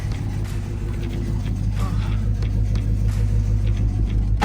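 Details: Dodge Hellcat with a rough idle and no codes, heard from inside: deep, lumpy idle with an uneven beat and shake; cylinders misfiring from closed-gap spark plugs.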